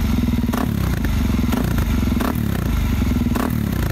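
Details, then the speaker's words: 2019 Suzuki DRZ 400 supermoto being rebuilt, running with the exhaust insert (probably the spark arrestor) removed: loud, deep single-cylinder thump with quick throttle blips, sharp and unmuffled but even; healthy engine on an open exhaust. "let's go ahead and see what it sounds like without it I think it's gonna sound the exact same as that one but I wonder how it runs now I think it'll run even better"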